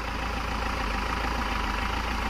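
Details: Mahindra Xylo diesel after fuel-line air fix (previously no-start and vibrating): steady, even idle with smooth low rumble, no hunting or surging; engine settled and running right.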